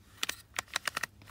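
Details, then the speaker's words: Removed clock spring from a Volkswagen MK7, turned by hand: quick run of sharp, dry clicks with a rough scrape and grinding; worn clock spring, replaced. "you can hear that uh let's see if you can hold here if you can hear that but there's quite a lot of clicking and grinding"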